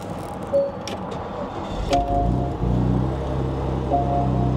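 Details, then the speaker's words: Porsche Macan S, possibly twin-turbo 3.0 litre, 83,000 miles, auction car: after dash chimes it catches at once and settles into a smooth, even idle with no ticks or roughness; normal start and idle. "Sounds good. Actually sounds really good. This is nice."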